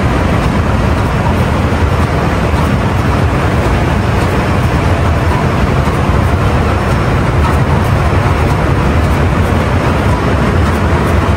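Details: Ship main marine diesel run during departure preparation, after confirming no water and closing test cocks, before ahead/astern testing; loud steady low rumble with even turbo hiss, no knocks or surging; normal running.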